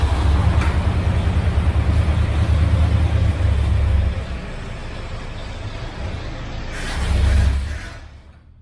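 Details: 1978 Ford F-350 crew cab parked 11 years, mechanical fuel pump fed from a five-gallon jug: the engine runs rough, sags and fades, picks up briefly, then dies and won't stay running. Fuel starvation is suspected.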